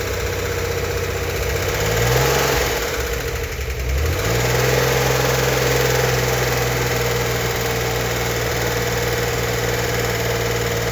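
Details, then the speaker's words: 1964 Corvair Monza Spyder turbo, freshly built engine at first startup, held at 2000 rpm for cam break-in: blips then settles into a steady, even drone, no knocks or misses; tight, healthy engine. "We're not just revving it up to hear the clicking and clacking on the lifters before they're fully pumped up. To break in the cam, we need to run the engine at 2,000 RPM for 20 minutes."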